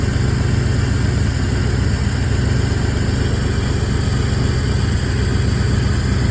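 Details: Lumpy, uneven idle pulsing about four times a second with deep exhaust chuff; engine has known exhaust leaks, tries to stall when braking, minimal power, no engine light; owner suspects timing, cylinder head, distributor, CMP or MAP sensor, unconfirmed.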